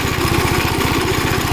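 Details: Gravely Model L tractor with governed single-cylinder engine, after replacement of a blown head gasket: crisp, even thumping at about eleven beats a second with no skips or hiss; runs really good, though an oil leak is still being traced.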